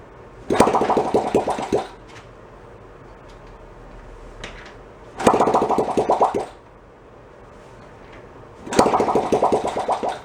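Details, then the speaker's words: 1972 Honda CT70 Trail 70, sat 20 years, after carb work, spark confirmed, carb dripping: short bursts of popping, uneven firing dying out, won't take throttle; owner suspects fouled plug. "Right, let's go put that back together. We'll give it another shot. Yeah. Don't like giving the throttle."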